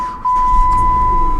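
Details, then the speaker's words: Salvage-auction vehicle that ran over something, with possible oil pan damage or cracked block and low oil, cranked briefly. Quick catch into a steady, even idle with a chime; fired right up. "fired right up let's put it in gear real quick"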